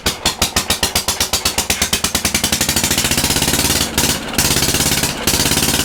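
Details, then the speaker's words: Antique Briggs & Stratton single on a homemade mini farm tractor, running on its own ignition, air filter off: sharp, evenly spaced exhaust pops speed up then hold a steady fast beat; normal running. "we got to hear it run that's great it's running with its own equipment no janky ignition system"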